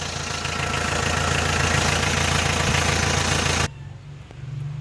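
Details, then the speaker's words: Mitsubishi 4D56 diesel started with glow plugs disconnected at 30–31 °C: started almost immediately, even diesel clatter at a steady idle with no misses, then shut off. "as you have seen no glow plugs and temperature 30 31 degree celsius the engine started almost immediate no hard start problem all that without blow relay is plugs disconnected okay"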